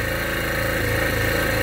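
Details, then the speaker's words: Backup generator powering an M98 sump pump (nearly 100 gallons a minute), no water in the pit: steady even drone as the pump kicks on and loads it, no surging or misses; runs well under load. "I'm gonna kick on this pump and you should hear that generator actually put a load on it."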